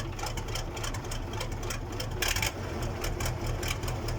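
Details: KAMAZ diesel engine's first start after a major overhaul: fast, even clatter over a steady low rumble with no misses or knocks; the rebuilt engine idles healthy.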